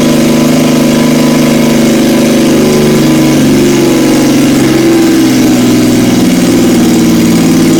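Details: 1977 Yamaha XS750 four-cylinder, first start in 30 years after rebuilt carbs, velocity stacks, new oil, filter, plugs and resistors, fed from an auxiliary fuel tank: steady even idle with a smooth brief rev rise, no knocks or misses; normal running.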